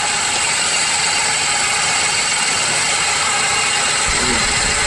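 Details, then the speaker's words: Alternator checked with a stethoscope on the running engine: steady, harsh hissing rush with a dry rubbing edge, noise confirmed from the alternator; worn alternator bearing. "The noise is definitely coming from the alternator."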